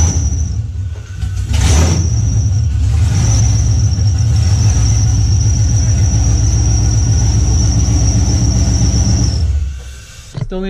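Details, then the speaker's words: LS V8-swapped Nissan 350Z, first start, no intake yet, still needs fuel pressure regulator: deep heavy rumble at steady fast idle with faint high whistle; earlier misfired as if on two cylinders and smoked heavily; runs unsettled, needs fuel adjustment. "We were getting scared because it was misfiring. It sounded like it was running on 2 cylinders."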